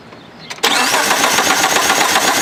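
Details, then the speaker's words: Car with a brand-new starter, good battery and timing belt in time: starter turns the engine over with steady, even cranking pulses but it never fires; clutch safety switch ruled out, cause unknown. "because it's trying to turn it did was trying to turn yeah won't fire up it's also a brand new starter yeah so we know it's not the starter it's not the battery"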